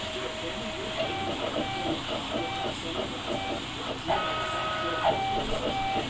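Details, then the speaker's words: 48 x 20 inch 4-axis CNC router hisses steadily while thin stepper motor tones buzz and shift pitch as the axes move; the buzzing is from feed control that still needs tuning. "that little buzzing right there is just a little bit of feed control I'll have to tune it in"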